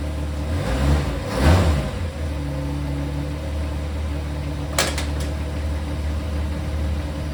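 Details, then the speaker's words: Mustang after the blown torque converter was replaced and the A/C compressor deleted, idling on blocks. The engine fires and settles into a steady, even hum with no whine, knock or clunk from the transmission. Normal idle; the noise is gone. "no more noise okay this is sweet no more noise noise uh torque converter sounds great motor fires right back up super stoked"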